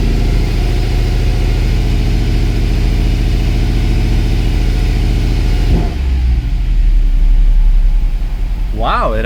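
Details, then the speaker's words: Mercedes W204 C63 AMG, M156 V8, right after replacing the spark plugs; deep even burble dropping and settling into a steady idle without misses or stumbles, normal idle. "it idles down even really good. I think we have success."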